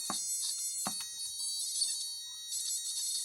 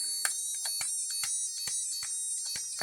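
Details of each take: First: Cheap electronic burglar alarm kit after a 100n polyester capacitor is added across the 47n one: a thin, wavering, buzzing alarm tone with a few clicks; the lowered frequency works as intended. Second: 50p electronic burglar alarm kit with a single-transistor, center-tapped-inductor oscillator driving a piezo: a high tone with crackles and dropouts that change pitch as the board is flexed, from loose contacts.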